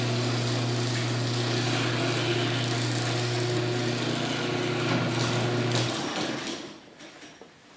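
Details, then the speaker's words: LiftMaster 8165 garage door opener made in 2015, running: steady motor hum with a regular rattle about four times a second. A loose chain dragging on the rail is suspected; the noise is less audible up close. "I'm also gonna have to tighten the chain I think that's a little bit loose because you can hear dragging on Tralee"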